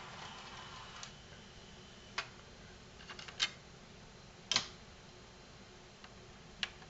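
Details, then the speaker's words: Sony HCD-GRX10AV mini system cassette deck at power-on: half a dozen uneven clicks and thumps over seven seconds as heads fail to engage; suspected missing drive belt. "and I am almost 100% certain that because of the thumping noises that this thing makes when you turn it on because the heads can't engage"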